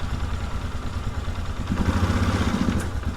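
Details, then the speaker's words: 1997 Polaris Sportsman 500 single-cylinder ATV, choke off: uneven chugging, beat wandering and stumbling instead of settling; running horribly, cause not yet found. "nope we still run horribly advice people advice cuz this is not doing what I needed to do here"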